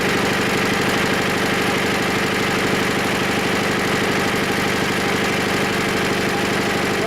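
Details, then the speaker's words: Diesel engine just started after about 3 months unused at about 5 degrees: steady even idle clatter at about three beats per second, no misfire or knock. Runs normally once running and making its own heat. "Once it's running, the motor provides its own heat and there's no problem."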